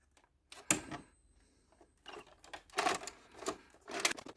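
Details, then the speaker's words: Philips VR101 two-head mono VCR that would not accept tapes: short bursts of gear whirring and sharp clacks in uneven cycles as it tries to play and then rejects the tape again; tape loading failure, mechanism gears suspected. "Again, just moving around these gears. Something must be up with these gears. No, it seems to be playing. No, it rejected again."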